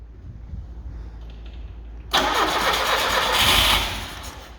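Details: Carbureted Lada 2104 with fuel fed from a funnel on the carburetor line and the choke pulled: a low cranking rumble, then a loud rough burst that fades without idling. Owner suspects not enough fuel from a bad fuel pump, though it is unconfirmed.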